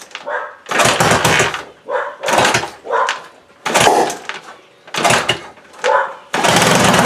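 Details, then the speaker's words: 1979 Honda XL500S single with a sticky throttle and an overflowing carb from a bad float needle: loud raspy blats and sharp chuffing with each throttle blip from a massive exhaust leak wrapped with a leather glove. "And if it sounded like it had a massive exhaust leak, that's because it had a massive exhaust leak with a piece of leather glove wrapped around it."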